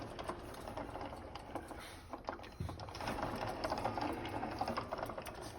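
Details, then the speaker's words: Car gearbox with a loose, unfastened screw, clattering fast and unevenly at about four clicks a second while running; the loose screw is the suspected but unconfirmed cause of the gearbox rattle. "şuradan vidası gevşek bunun bunu yapan vatandaş sıkmamış el kalkışta bu lak lak lak lak lak böyle vuruyor işte"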